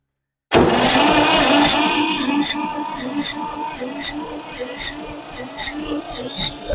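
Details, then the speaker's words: 1962 Massey-Ferguson 35 Super Deluxe tractor, three-cylinder Perkins diesel, battery not charged; starter turns slowly, compression beats about four a second, never catches; slow cranking from a dying battery, jumper cables planned. "come on might need a little bit more of a faster spin might have to get the one of the vehicles over here and hook a jumper cables to it"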